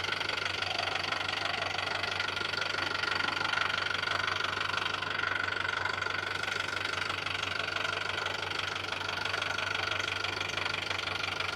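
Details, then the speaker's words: Land Rover Defender diesel idling warm during a pre-purchase check: steady, even ticking clatter about three beats a second, the normal diesel knock, constant and uniform with no sign of damage. "diesel então é esse barulhinho ó a gente chama isso de reloginho ele tá ó redondinho tá sem nenhum tipo de avaria"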